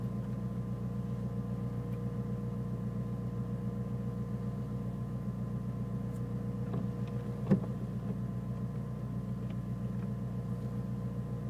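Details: Nissan Micra turbo with rough idle that sometimes cuts out when braking: low steady idle with slightly uneven, loping beat, no clear knock; rough idle, cause not determined.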